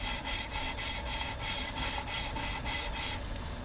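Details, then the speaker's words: 1.6 MK2 Golf GTD cylinder head, valve being hand-lapped onto its seat with grinding paste, back and forth without pressure: even gritty rasping at about three strokes a second, fading as the seat turns smooth. "when that stops it should be nice and smooth you've got to go both ways on it back and forth otherwise you just create like a Groove Channel the gases to escape through"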